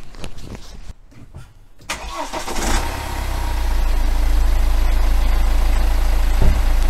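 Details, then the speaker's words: BMW N47 diesel starting and idling the day after a new timing chain was fitted; short crank, catches cleanly, steady even idle with no chain rattle or tapping, sounds better than before. "so it sounds better already"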